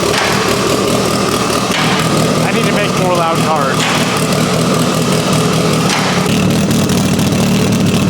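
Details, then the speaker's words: Mitsubishi Evo 8 being restored, warming up: deep, loud exhaust rumble with even revs rising and settling, no misses or knocks. It is left idling to check for leaks, and none are seen; yesterday's coolant leak is resolved. A normal, healthy warm-up. "yeah that sounds loud but it sounds cool I like it I got it warm enough I'm going to let it sit for a minute make sure it doesn't leak"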